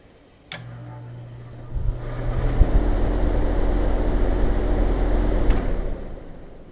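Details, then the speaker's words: Heat pump outdoor unit with compressor common disconnected, fan motor running alone: low steady hum, airflow builds to even rush, then coasts down quietly with no thump at shutdown; normal shutdown. "shuts off really nice so go figure go figure that just blown my mind why that would do that"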